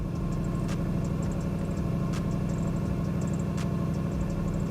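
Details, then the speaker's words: 1993 Lexus SC400 engine still idles high, steady fast drone not dropping to proper idle; faulty idle air control valve causing high idle, after ECU capacitor repair. "i still have a high idling issue i want to say it's a little lower"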